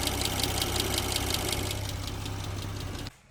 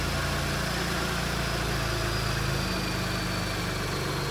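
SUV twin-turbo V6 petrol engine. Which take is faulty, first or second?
first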